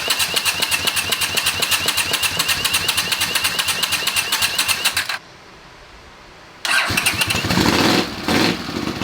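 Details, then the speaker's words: Honda CX500 scrambler motorcycle after correcting swapped spark leads that caused wrong ignition timing: starter cranks steadily for five seconds, pauses, then the engine fires up with uneven revving. "And what I'm going to do now is, I guess, spin the bike around so the exhaust is pointing out the garage door, and then kick her over and see how we go, see if we can get this thing fired up."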